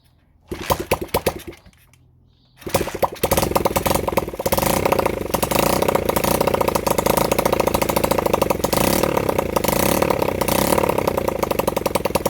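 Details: Honda CB100N single-cylinder motorcycle after over 20 years off the road, jump-started from a weak battery; short cranks, then it catches and runs with uneven, stumbling firing. Rough running; the owner says the carburettor was in a bad state.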